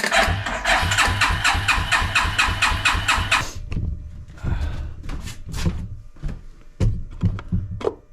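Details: Suzuki King Quad ATV (owner thinks 300, 1995–97), left outdoors for years: even starter cranking about two turns a second for three and a half seconds, never catches; no fuel delivery through the gummed carb.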